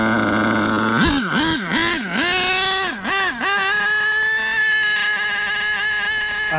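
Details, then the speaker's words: HPI Savage 4.6 nitro engine revs up and down, then locks into a steady high-pitched scream at full throttle that never drops: runaway; owner thinks the exhaust broke off. "so yeah she uh ran away so that was short-lived she just held full throttle"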